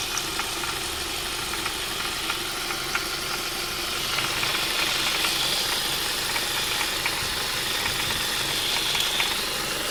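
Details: 2002 Ford Mondeo Mk3, Duratec HE petrol, automatic: a light, fast intermittent metallic rattle of about four per second around the pulleys at idle. It is more prominent when hot; the exhaust is ruled out.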